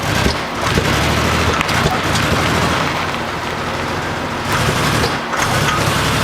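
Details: Buick Century V6, new ignition control module, crank sensor, fuel filter, cleaned IAC, spark at all plugs: idles fine but misses, pops and backfires through intake on quick throttle blips; also loses power, no hot restart.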